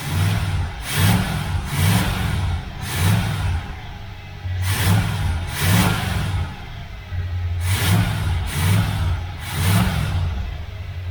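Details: Carbureted V8 in a 77 Corvette, not run in a while, primed with gas and started first crank, blips up and settles about once a second, each rev crisp and even with no miss or knock; normal, healthy revving.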